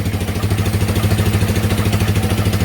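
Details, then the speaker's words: Yamaha Warrior ATV single, first start in about 10 years after carb rebuild and fresh gas, warming up: even thump about ten beats a second, no knocks or misses; normal idle. "we're gonna let it warm up we'll check oil and then it even sounds really good"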